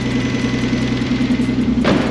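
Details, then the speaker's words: 1998 BMW E46 with rebuilt turbo M52TUB28 2.8L swap, cold idle after oil pump priming; light fast even ticking from noisy Porsche 627cc injectors, no bearing knock heard yet, though owner expects noise only when warm. "Tu vois, là pour le moment, on n'entend pas de bruit de coussinet du tout. Le tout petit claquement que tu entends, c'est les injecteurs Porsche qui sont très bruyants."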